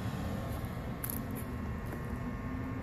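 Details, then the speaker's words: Home A/C outdoor unit, fan and compressor not running: low steady electrical hum with nothing spinning, fan starts only when pushed with a stick; bad dual run capacitor, replaced. "As you can see it starting to run because I gave the fan a push This means the startup capacitor is gone (dead)"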